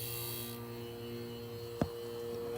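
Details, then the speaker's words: Window air conditioner unit run at in-between fan speed, phone held near the compressor at the back: soft even hum from compressor and fan, a single click, no rattles or knocks; normal quiet running. "some people don't like the secrets but i think yeah i think they're yeah pretty quiet i mean you can barely even hear them as is"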